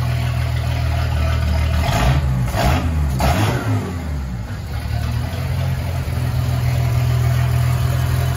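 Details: Ford 300 inline six, first fire-up with newly finished turbo header, exhaust cutouts open: loud exhaust blips up in a couple of quick revs, then settles to a steady deep idle; normal exhaust note when revving.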